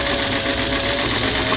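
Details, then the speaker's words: Singer sewing machine motor with restored clam-shell foot pedal, after adjusting pedal screw another half turn clockwise; steady high motor whir, speeds now vary clearly from slow to medium; normal motor speed control. "I'm starting to hear the motor hum go slow medium okay so that's a big difference"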